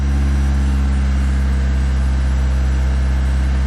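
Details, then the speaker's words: Classic carburetted car, cold start on a warm day: full manual choke, foot off the gas, loud steady raised idle racing at about 2,000 rpm; fast idle from full choke. "Full choke. Foot is nowhere near the gas, as you can see. There we go. Oh, 2,000 RPM. Racing."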